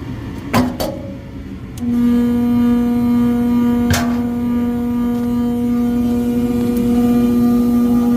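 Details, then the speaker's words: Furnace unit, call for fan not turning on, heat mode: a few clicks, then blower spins up to a strong steady hum with rough shaking buzz. Tech suspects overamping and shutting off, bearings loud on startup, will check rated amps and capacitor. "Probably overamping and shutting off. Shaking too."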